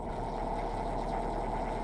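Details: Nissan Sentra B14 four-cylinder after a hose knocked off by a cat was reconnected; new spark plugs, all four injectors working: steady even idle, no stumble; normal idle.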